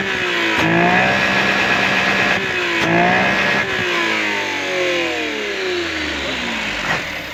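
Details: Vehicle with hard starting and lack of power, checked by a third mechanic with timing suspected and MAP sensor mentioned: revs climb and fall cleanly in quick blips with no stumble or hesitation; sounds healthy.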